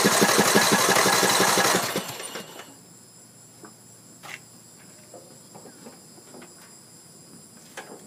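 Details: Troy-Bilt Pony riding mower, Briggs & Stratton 17.5 hp I/C, build date 06-07, battery freshly charged: the starter spins the engine in a steady quick chug for about two seconds without catching; owner unsure whether fuel or spark.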